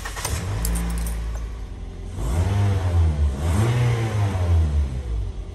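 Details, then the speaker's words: Toyota Vios NCP93 engine start after fan belt replacement and alternator re-tightened, previously chirping on morning starts: cranks, catches, revs cleanly with no chirp or squeal; belt noise gone. "Alhamdulillah hilang bunyi. So settle masalah untuk belt ni."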